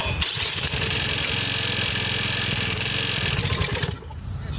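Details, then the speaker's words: Briggs & Stratton engine on an older commercial Lawn-Boy mower, first run after a valve job and engine work, carburetor condition uncertain: catches and runs with a quick, even popping beat before shutting off; sounds okay, normal running. "sounds good though she sounds okay you could just get it running"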